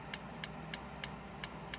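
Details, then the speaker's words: Nespresso Aguila 220 (Thermoplan) commercial pod machine not foaming milk: rinse valve clicks sharply about three times a second on power-up; suspected board not supplying enough power to the valve, wiring shows no burning. "I don't know how well you can hear this, but you can actually see that on the rinse valve. This valve is actually clicking."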